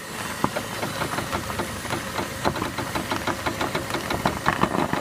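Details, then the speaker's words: 2007 Chevy Aveo, front driver's side, steering wheel turned while stationary: sharp irregular clicks and cracks, also heard as a grinding noise on turns while driving; worn sway bar link knocking in the front suspension. "So what she's going to do is she's going to turn, and you can hear it crack."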